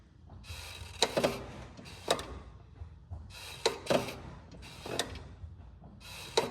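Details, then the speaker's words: 2008 BMW 328i E90, engine off: clutch pedal light, final 20% of stroke ends in sharp clicks and creaks every second or two, same before and after slave cylinder replacement and heavy bleeding; cause not determined. "Now, the way that the pedal is light going down and then at the end it sort of has this weird clickiness or um you know at the end of the travel it's a bit strange um unusual you know it's not the normal smooth travel that you'd expect"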